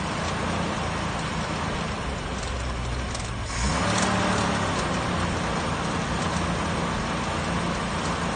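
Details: 1966 Ford Mustang, first start after 12 years of not running: steady even run with small rise in revs midway, no knocks or misses; running fine.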